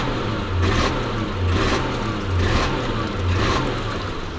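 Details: Lexus LS400 in limp mode, unable to rev past quarter throttle; revs rise and fall about once a second, capped early. Began a few miles after valve cover gasket replacement; throttle position sensor believed fine. Owner suspects leaking ECU capacitors.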